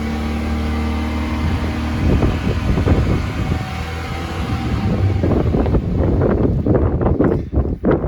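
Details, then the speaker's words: 2003 GMC Sierra 1500 5.3L V8 4WD, 282,000 miles, warm idle with engine bay open just after a rev to 6,000 rpm: deep, smooth, even rumble, no knocks, ticks or misses; healthy, quiet once hood closed. "It's relatively quiet too, idling. Makes a decent amount of noise when you got the engine bay open, but once you close it, hang on."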